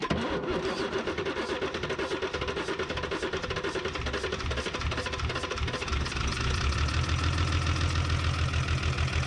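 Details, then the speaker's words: 1975 Chevy diesel stepside that sat 32 years, on its second cold start after about 15 s of glow plugs: rough, lumpy clatter that settles to a steadier drum as it warms; the number one injector line is still bleeding air. "all the vibration smoothed out it vibrates a lot when it's cold there but also the number one was still bleeding"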